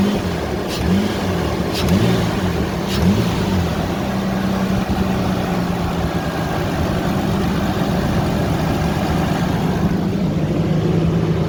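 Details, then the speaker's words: Ford Ranger after replacing leaking timing chain tensioner with intake removed: smooth even idle, injectors clicking audibly, no timing chain rattle or knocks; engine sounds healthy. "that sounds good at least you can hear the injectors clicking away but i don't hear no timing team rattle"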